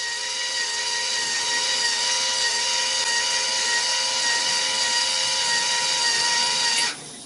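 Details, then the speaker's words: GE GXSF40H water softener in diagnostic mode, valve motor stepping to the fourth position after backwash. An even high motor whine for about seven seconds, then a clean stop. Normal valve motor run. "let's go to the fourth position spinning again motors running that's good"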